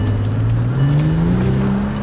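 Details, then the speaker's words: Bentley twelve-cylinder (about 570 PS), turbocharged, running on all 12 cylinders again after a control-unit fault was fixed: deep engine note climbing cleanly under hard throttle without stumbles or misses; healthy at full power. "Alter kann mich hier gar nicht halten vor Leistung hör turboag Schlange das ist ja ganz krank"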